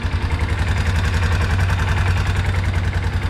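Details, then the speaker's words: Kawasaki four-wheeler single-cylinder after reconnecting the part it wouldn't run without, before carb service: an even, low thumping idle, quiet now with no ticking; normal idle. "Dude, she's quiet now. She'd probably be good to go like that, but I'm still gonna pull that carb off."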